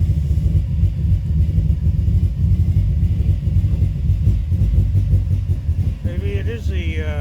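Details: 2005 Subaru Forester XT: deep, uneven lumpy rumble at idle, engine keeps stumbling and missing, hesitates on throttle; owner suspects running rich and a coil, codes read; rough idle, cause unconfirmed.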